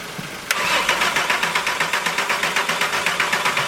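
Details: Mk4 Golf after engine rebuild: starter cranks evenly at about four compressions a second for several seconds with no firing at all, because the ignition was not plugged back in; no start.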